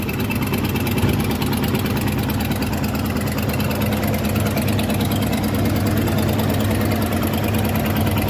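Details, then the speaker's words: 1993 Ford F250 302 5.0 V8, after vacuum harness replacement and throttle mix screw: even low idle throb, no hunting or stumble, slightly rich; runs better with massive vacuum leaks gone. "Running pretty good. So this is a much better start than we've ever had out of this thing. Probably helps that we don't have massive vacuum leaks anymore."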